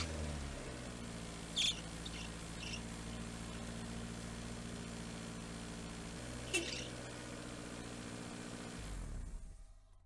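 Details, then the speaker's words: Toyota Corolla, cold start (second startup), reservoir full, fresh Lube Guard power steering fluid added: steady droning whine over engine hum from bad power steering pump; stopped after stabbing throttle, noise normally goes away when warm. "okay so on that second startup um it was making all that noise and I had to stab the throttle and then it stopped uh the power steering the the power steering pump sto making the noise"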